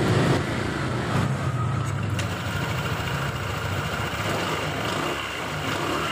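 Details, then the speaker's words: 2021 Honda PCX 160 CVT after service, cleaned and shimmed with sandpaper strips with no parts replaced, runs with smooth even belt-drive hum; the front clacking on idle and sudden throttle is gone. "Oke jadi suara kelak-kelak di bagian depan saat digas sudah tidak ada lagi ya sudah halus Kembali"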